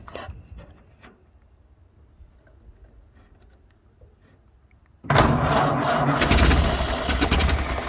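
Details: 1931 Ford Model A flathead four, 200.5 cu in, after sitting 67 years. Carburetor and internal filter cleaned after flooding; slightly choked. Quiet, then catches and settles into a low, even, steady idle with no misses or knocks. Normal.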